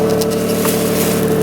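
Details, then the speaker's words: Nissan 350Z at idle before fitting a new Z1 Y-pipe; rough, raspy idle with flat buzzy drone and tractor-like chuff; original Y-pipe's flex section is blown, causing an exhaust leak. "the y pipe is not good it's literally blown by the little um i forget what it's called but it's like the little the flex the flex side of it of the thing so yeah it's blown"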